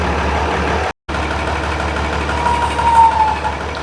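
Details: International 966 tractor diesel just started after reinstalling the rebuilt hydraulic PTO unit and replacing the rock shaft bushings: steady, even idle with a low, unbroken beat and no knocks or misses; engine sounds healthy.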